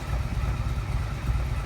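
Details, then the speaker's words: Yamaha XVS 1100 V-twin after carburettor service and valve adjustment, freshly started: deep even low thump holding steady, no misses or knocks, clean idle. "fuel system becomes compact so that sounded pretty good"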